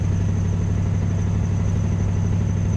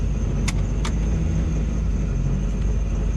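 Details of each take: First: LS-swapped car on test drive: deep, loud, throbbing exhaust drone at steady idle, about two pulses a second, hollow uneven tone from muffler area; owner suspects heavy backfiring blew out the muffler, not confirmed. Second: 1971 Oldsmobile Cutlass LS-swapped V8 after lifter repair, on a test drive; deep even drone pulling smoothly under load, no knocks or misses, sheet-metal intake echoey, muffler likely blown by backfires; normal running.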